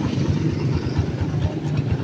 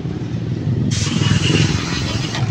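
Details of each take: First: Honda TMX155 motorcycle that was noisy, leaking oil and would not run: a lumpy idle with uneven clattering on each beat from a worn timing gear and a sliding clutch damper, both rattling. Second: Honda TMX155 single-cylinder after rebuild with new base, side and cylinder gaskets to cure noise and oil leaks: an even, steady beat with no knocks or ticks under wind hiss; normal running.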